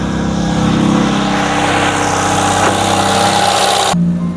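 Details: 1980s Ford Fiesta XR2, about 40 years old and sitting 25 years, now running after a new timing belt, drained old fuel and new spark plugs: revs cleanly with a steady, even note and no misfire, then drops back; normal running.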